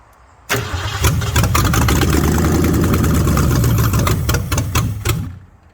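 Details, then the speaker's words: Ford Mustang 302 V8 pulled from barn, coil and starter jumpered, in park: starter catches at once, strong even lumpy run about four seconds then shuts off; oil pressure kicks up to 40 psi, normal start. "It starts, and it kicked up to 40 psi. That's not too bad."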